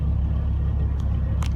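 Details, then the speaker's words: Dodge Ram engine at 313,000 km, cold start after adding Seafoam and warmed synthetic oil: steady low idle rumble with no top-end valvetrain tick, now getting oil pressure. "if you notice this time when i fired it up you didn't hear the tick right so i think what happened was it actually was getting oil pressure to the engine"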